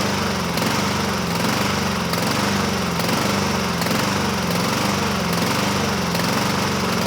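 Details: 2007 Honda HRR2162SDA Quadra Cut mower, after a stuck-open intake valve was fixed, hunts: pitch rises and falls about once a second. Water was removed from the tank; it runs better on partial choke; owner may re-clean the carburetor. Cause unconfirmed.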